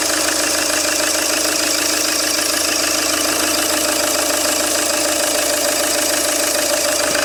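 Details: Peugeot 807 2.0 HDi 110 diesel: steady regular knock about three times a second over the idle, sharp metallic tapping from inside the engine. Engine knocking.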